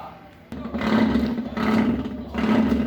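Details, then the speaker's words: Consul Maré washing machine during the wash cycle: a loud, rough groaning roar swells with each agitation stroke, about every second and a half. Gearbox (câmbio) noise returned two days after a technician's second repair; the cause is not yet found and disassembly follows. "Barulho muito estranho. Barulho do câmbio, né?"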